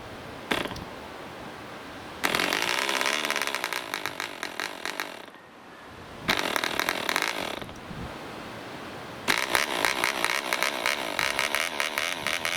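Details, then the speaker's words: Vintage DC Spitfire 1cc model aero diesel on an 8x4 prop, Model Technics D2000 fuel, hard starting: short rasping bursts that die away, then catches with a harsh high buzz; owner suspects compression set too high. "Well, it ran okay in the end. At one point I never thought we were going to get there, but I think I had the compression too high."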